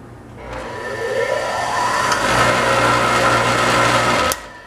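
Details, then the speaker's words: Scrap-saved single-phase motor started with no load at about half voltage, pulling the supply down to 80 V: the hum climbs slowly in pitch for over a second before settling to a steady whine; sluggish start, cause suspected, not confirmed. "You see that? It pulled the voltage down to 80 volts."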